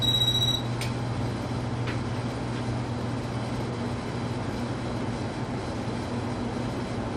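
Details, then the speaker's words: Casablanca Panama ceiling fan at full speed after bearing replacement and a new flywheel: steady low hum and even airy rush, smooth and balanced with no wobble. The earlier bearing scraping is gone. "with new bearings and this new flywheel, this thing runs fabulous. Absolutely in balance. There's No wobble whatsoever anywhere in the motor."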